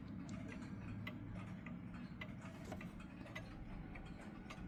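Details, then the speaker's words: Clock now in beat after a very small final crutch adjustment: evenly spaced tick-tock with equal gaps over a low background hum. "And there we go. Now it's in beat."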